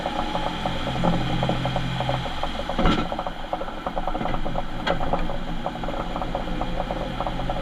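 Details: Ford Transit van: rapid mechanical ratcheting clatter with faint gear whine and a couple of sharp clunks; worn, failing rear differential.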